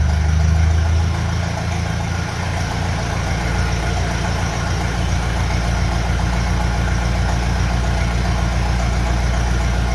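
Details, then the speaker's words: Ferguson FE35 TVO tractor, cold start at 15° indoors after fitting a reconditioned radiator, new top hose, fan belt and fresh fuel: catches quickly and settles into a steady, low, even idle with no knocks; healthy. "started very well but it's 15° in here today"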